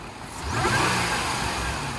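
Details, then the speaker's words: Range Rover L322 5.0L supercharged, blipped from idle after a dead-battery start: smooth rise and fall with a light supercharger whir, no knocks or rattles; rev sounds fine. "That's okay. That should be fine."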